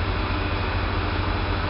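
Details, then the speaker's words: Kosmos lathe motor after conversion to three-phase supply (coil ends shorted together); steady even low hum, no knocks; runs smoother and quieter, starts faster, motor stays cool; normal. "the motor runs alot smoother and more quiet now which I doubt you can hear through the microphone but trust me it really runs smoother"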